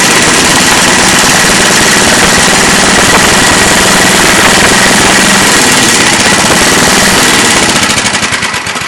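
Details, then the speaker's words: John Deere 1026 snowblower, 10 hp Tecumseh engine, warm weather, windy: loud rapid even popping of the single-cylinder running steadily, then winding down; runs, drives, auger works, stator tested good. "It does run. It runs and drives, and the auger works."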